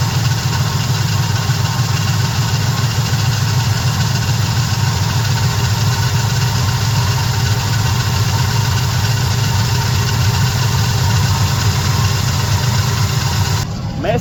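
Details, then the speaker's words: Small-block Chevy truck just after a carburetor swap to a Holley taken from a 355, no RPM gauge: a steady, even low rumble with no knocks or misses, idling properly for the first time; normal idle. "It ain't got a RPM gauge, but it sounds pretty good, though. Listen, you hear that? It's idling for the first time."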